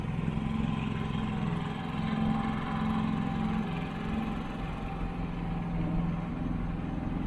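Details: Harbor Freight Predator generator running outside just after an oil change with ZDDP oil and a magnetic drain plug: steady, even drone with a constant low hum, no knocks or misses. Normal running.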